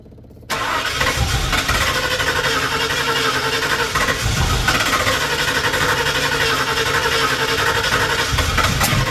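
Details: 1981 Ford Bronco 351 V8 first running after no-start: timing confirmed, fuel added, carb refitted on homemade adapter plate after backfire lifted it; fires after brief silence, settles to steady, even throaty idle, no misses; small resonator muffler.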